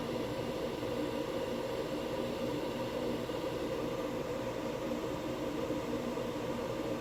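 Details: Diesel heater installed indoors on a Chinese power supply with battery backup, after shutdown: a steady, airy fan rush with a faint hum and no burner roar as the blower clears leftover heat and the exhaust cools; normal purge.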